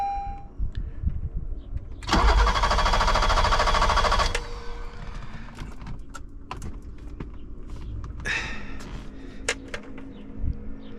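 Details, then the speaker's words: 1986 BMW 325e E30 sedan cranks steadily for about two seconds but never fires, fuel pump audible; the injectors are not delivering fuel, one was clogged and five flowed very low, and it runs on sprayed fuel. "I can hear the pump. So, cranks, no start."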